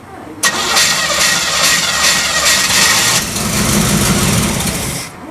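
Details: KITT project car with no carpet or insulation: engine cranks and fires unevenly for about five seconds, sputtering and never settling to a clean idle; engine is flooded and needs some throttle to start.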